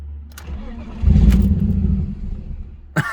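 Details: BMW E36 with Ireland Engineering catback and M3 catless midpipe: engine catches, flares briefly, then sags and dies within a second; first blamed on failed cats, actually a torn ICV-to-intake boot hose causing a vacuum leak.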